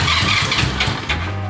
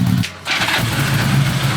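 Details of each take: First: 1977 Honda Goldwing GL1000 after new spark plugs, fresh gas, new fuel filter; battery not charged. Starter turns the engine sluggishly, labored chug of about five pulses a second, not catching: slow cranking, likely weak battery. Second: 1977 Honda Goldwing GL1000 after new spark plugs and fuel filter: catches after a long crank, then settles into a smooth, even low hum on choke; clean, steady cold idle.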